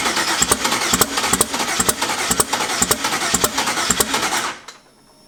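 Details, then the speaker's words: Turbo engine first start attempt after adding ground wire, fuel pump on: cranking with sharp irregular pops about three a second that never catch; misfire from incorrectly wired ignition coils. "close to wants to start look at the thing spinning the turbo"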